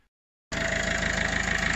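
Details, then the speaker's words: Peugeot/Citroën 1.6 HDi diesel after injector seals replaced and carboned injector and well cleaned and refitted: starts and settles into a steady, even idle with normal light clatter, noise gone. "ça y est, il est remonté. Il n'y a plus de bruit."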